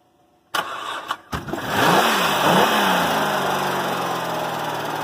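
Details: 2005 Hyundai Santa Fe 2.7 V6 first start after seven years standing, corroded fuel line replaced with 7mm hose, jump-started; a couple of cranking bursts then catches, flares and settles into steady even idle; normal start.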